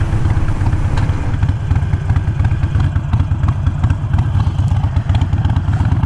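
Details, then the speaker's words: Harley Iron 883 with Vance & Hines Fuelpak FP3 running AutoTune on a different base map, new external breather fitted: loping, uneven V-twin idle with popping and clatter, close to stalling; earlier starts died; cause not confirmed. "It is idling differently. It's got more of like a kind of a stall to it."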